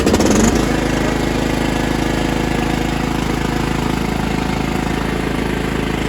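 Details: Mastercraft hydrostatic 16 hp, 42-inch lawn tractor with Briggs & Stratton Intek engine and strong battery, started with a little gas: catches within half a second and settles into a steady, even beat with no misses or knocks; runs normally.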